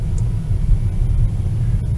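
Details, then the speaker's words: 2004 Mercedes 240C, 173,000 km, after replacing faulty spark plugs on 2 of 6 cylinders that caused harsh 2-to-3 automatic shifting: steady road rumble, upshifts to 2nd and 3rd very gentle with no clunk or jolt, normal shifting. "two that was very gentle and there's three and it couldn't be more gentle than that it was absolutely perfect"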